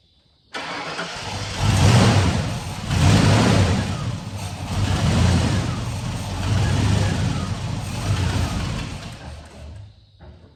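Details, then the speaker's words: 1991/92 Ford F150 fed fuel from the cab straight into the throttle body: it catches in three or four uneven surges about a second apart, then fades. It later ran after the tank was hit with a hammer; confirmed failed fuel pump. "So I reached under there with a hammer and beat the bottom of the gas tank, and now it's running. So that answers my question on what's wrong with it. It's fuel pump."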